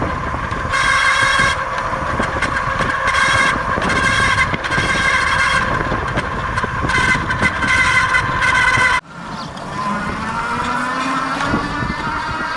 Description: Lectric 2.0 Step-Thru odd sound from rear hub motor area.